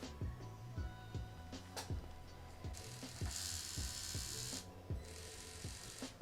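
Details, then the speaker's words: Traxxas TRX-4M with stainless 40.3:1 crawl gears after greasing with white lithium grease: loose clicking chatter about every half second over a dry whir; still noisy. "still noisy, but I think it will be better. Here's the difference after greasing it."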